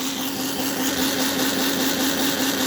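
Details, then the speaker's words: Model locomotive with an NGS Northern clone chassis and all 8 wheels powered: small motor whine at a steady pitch with a faint, uneven flutter in the drive. It runs lumpy; the front wheels, which look dirty, are suspected. "And uh no, I'm not going to be able to put it on and it is lumpy. And I think it's the front wheels."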